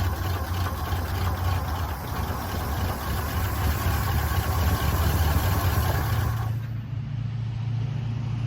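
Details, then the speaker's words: 1977 Chevy C10 Custom Deluxe, automatic, first start after sitting since 2006: rough idle with light fast ticking, three or four a second; mild lifter noise, lifters still settling. "how about that ladies and gentlemen lifters ain't even all that that noisy I am amazed"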